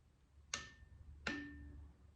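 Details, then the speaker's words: Torque wrench tightening cylinder head bolts on a 2010 Subaru Forester head rebuild, moved steadily rather than in small increments to avoid stiction: two sharp single clicks, breaking over cleanly at set torque. "Whereas if I was just, moving it along, it'll click every time now."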